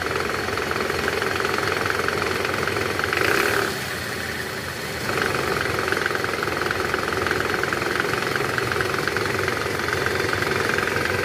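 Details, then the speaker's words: 2010 Toyota Camry, 2AZ engine, 126,000 km, in reverse, heard from the side: loose, uneven rattle over idle from the oil sump area, gone in neutral; balancer shaft gear rattle. "jadi indikasinya berasal dari poros penyeimbang, teman-teman. Karena sumber suara tersebut berasal dari bak oli mesin."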